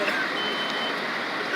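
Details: Fire department sprinkler demonstration in a burning room: a thin, shrill smoke alarm tone around three kilohertz over a noisy room, marking the start of roughly 30 seconds to decide to escape.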